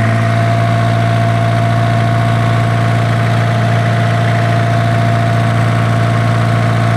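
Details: Isuzu diesel generator engine with a hard-starting problem: smooth, steady low diesel drone with an even pulse of about 3.6 per second and no knocks; healthy, settled idle.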